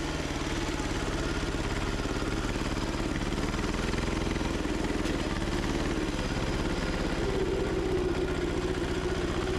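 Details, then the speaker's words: Gravely Model LI mower repowered with single-cylinder diesel, mowing under load, governor previously tampered with, old stale fuel: chugging beat rises and falls every few seconds; owner suspects governor causes surging. "I uh I messed with the governor before it had a throttle so it uh it might be a little messed up that's why you hear it surging"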